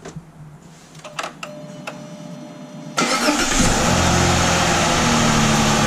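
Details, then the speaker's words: 2007 Chrysler 300 3.5L V6 on a cold morning, after a new starter and a fixed ground; after faint clicks it cranks strongly, evenly and fast at about four pulses a second, no longer dragging slowly as before. The starter is now healthy. "I think she sounded different that time. She went a little faster and I heard it. Try it again. I think it's spinning over way faster than it is."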